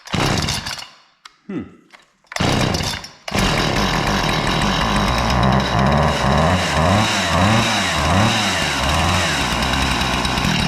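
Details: A Husqvarna 455 Rancher chainsaw had sat for years and would only idle, dying on throttle. After a carburetor and fuel line repair, a cleaned air filter and a new NGK BPMR7A plug, it catches after a couple of pulls and runs strongly, revving cleanly with no stumble.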